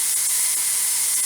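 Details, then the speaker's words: Presto 23-quart pressure canner venting a steady stream before the regulator goes on: even, continuous high hiss, no sputter; heat kept fairly high because going lower makes this canner lose pressure; normal steady steam venting. "now some people are gonna say you might say that this is a bit too hard and it's just because it's my canna if I go any lower than this my canner will actually start losing pressure"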